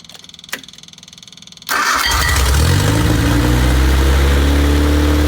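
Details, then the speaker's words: Freshly rebuilt MG Midget 1500 engine (flat-top pistons, 270 cam, 9.5:1 compression, new oil pump, double chain) on a run test with no muffler. Brief cranking, then a loud, steady, even beat climbing smoothly with revs; runs great. "it's a new engine with the exception that it's been it's been reworked and uh so it runs great"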